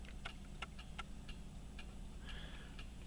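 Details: Chronometer after fusee repair (new chain-pin hole drilled, new pin fitted): crisp, evenly spaced ticks about two or three a second over faint room hum; running steadily and healthily.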